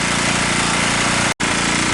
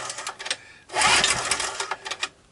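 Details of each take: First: Abandoned 2 kW generator, cold start on choke after no-start repair: small engine holds a steady, even beat with no misses or hunting; normal running. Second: Abandoned, nearly new 2 kW generator, cold start with choke on and some gas added: two quick recoil pulls, short rattling spins that never catch; no-start, possibly not drawing fuel, before starting fluid.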